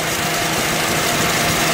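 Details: Turbo Honda Civic Si, first start after 1+ years, basemap tune, idling: busy whirring hiss in engine bay, quieter with fan on, louder with fans removed; owner suspects AC compressor, clutch fan or bearing, unconfirmed.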